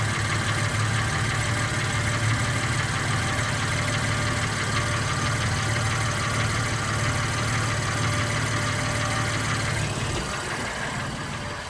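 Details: 2016 BMW M3 at idle: a steady deep drone with a faint regular tapping riding on it, about three per second; an engine knock whose cause has not been identified.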